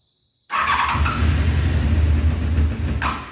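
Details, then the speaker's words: 1993 Honda VFR750F sitting over a year, first start on full choke and half throttle: catches with a rough, uneven burble, stumbles a few seconds and dies; won't keep running, carbs due for rebuild. "okay folks one more time if you don't stay running that's what you get"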